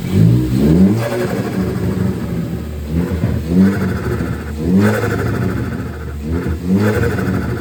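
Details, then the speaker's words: 2013 Ford Focus ST after installing a Go Fast Bits T9354 diverter valve with preload set all the way tight: repeated throttle blips, each followed by a short airy release as revs drop. The valve vents cleanly with no trouble. "Okay, so here's what it sounds like with the preload set all the way tight."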